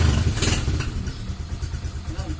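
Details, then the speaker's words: Honda CB overhauled engine started very cold, kickstart restored; it was noisy and rattling inside before the overhaul. Steady low single-cylinder putter with even firing and no knocks or rattles; now quiet. "Okay na mga kamekaniko yung makina. Yan ako, malamig na malamig eh. Tahimik na siya mga kamekaniko."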